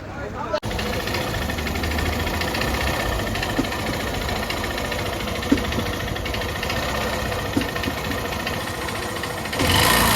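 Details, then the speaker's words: 125cc single-cylinder motorcycle at only 11,000 km, idling with a dry rapid knocking rattle, about four per second, staying at the engine rather than spreading; mechanic says piston sound, not timing chain; piston slap. "Sound ए रहा है gas यह piston का sound है और बाकी हल्का सा बहुत ही बारिक सा जो है हमें टाइमिंग चैन की साउंड ग रही है यह टाइमिंग चैन की साउंड नहीं है"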